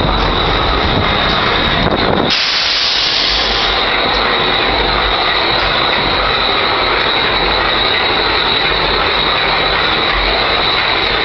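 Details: WAMX 5009 locomotive diesel: loud, rough roar with a steady high whine on top from a failing turbocharger.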